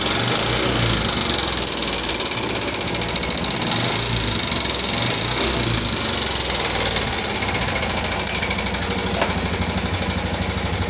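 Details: 2014 Yamaha Jupiter MX carburetor motorcycle brought in for rough engine sound: rapid, light metallic "kletek-kletek" clatter over the idle, keeping pace with the engine; top-end ticking, valve train suspected, not confirmed.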